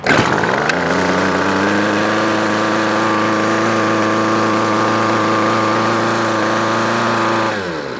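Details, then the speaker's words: Weedeater Featherlight SST25 25cc two-stroke trimmer, previously hard starting and dying, after new carb kit: steady fast even buzz for several seconds then drops off; full power, but idle still spins the head. "That was pretty good. Now we got full power."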